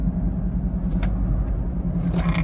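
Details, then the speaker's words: Chevrolet Tahoe at cruising speed. Steady low hum near 180 Hz under road rumble. Driver suspects the tires, and a tire was found cracked on the inside; cause unconfirmed. "So it's making a humming sound. You go up here a little bit. Go a little bit to the left, right. Man, that might be the tire."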